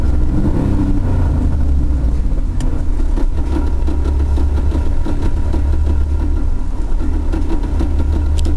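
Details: Trans Am with T56 manual transmission idling: rough low rumble with scattered irregular clicks and rattles; gearbox started making gnarly noises, to be pulled and inspected.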